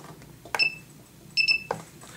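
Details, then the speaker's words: Thunder Power 610c AC/DC balancing charger with a 3-cell LiPo battery for the Parkzone Sport Cub, button pressed and held to start charging: two short high chirps about a second apart in a quiet room, the normal start beep. "So when you're ready, you press and hold this until you hear the beep."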